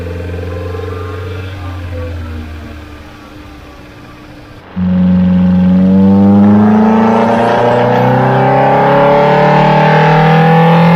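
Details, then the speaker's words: Datsun 1600 with mildly modified L20B, twin Webers, on dyno after jetting changes: pulls hard but stumbles and misfires mid-run, mixture too rich between 3000 and 4000 rpm. "the engine got a little bit too rich between three and four thousand rpm you can hear this on the dyno run where it misfired"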